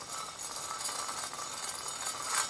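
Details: Ford Focus front press-in wheel bearing in removed steering knuckle, spun by hand: dry gritty clinking and rasping from a worn bearing, to be pressed out and replaced.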